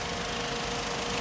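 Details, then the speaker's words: PT Cruiser two-speed radiator fan, temperature gauge past halfway after AC refrigerant recharge and repair: steady even whoosh of air with faint constant hum; fan running on high speed. "that is the high speed fan also keep in mind this is a two speed fan setup okay two speed fan motor low speed and a high speed and a high speed fan you can hear the fan running now"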